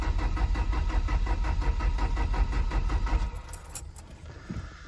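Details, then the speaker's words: 2.0 EcoBoost Ford Ranger, sitting for months, no coolant, downpipe or O2 sensors connected: sluggish starter under three beats a second for about three seconds; slow cranking from a weak battery. "all right so it's turning over kind of slow uh the battery's kind of weak I guess I'm just going to see if it's going to fire now"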